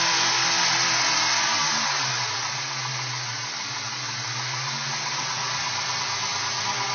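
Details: 2002 Ford Mustang V6 with Windstar intake installed: loud, steady hiss over a smooth low idle, pitch unchanging, from a vacuum leak, later resolved at an unrecalled location.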